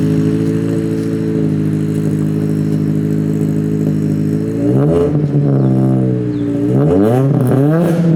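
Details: Ford Focus SVT first start after Truebendz catback install, catalytic converter gutted: even, mellow idle with no rattles or drone, then two clean blips rising and falling smoothly; healthy, fairly quiet exhaust.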